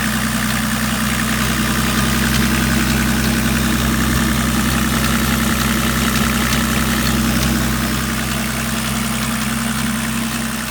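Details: BMW 525 TDS E34 diesel at idle: steady idle with an even tapping, roughly three or four per second, over the usual diesel clatter; abnormal engine noise, cause not identified.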